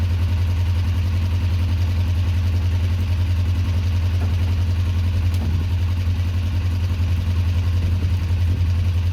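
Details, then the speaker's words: 2004 Kawasaki ER-5 twin, custom painted, after exhaust fitted and carbs worked on and bled: steady, even low idle with no misses, hunting or ticks, clean fuelling; looks and sounds great, normal idle. "looks and sounds great to me so far guys"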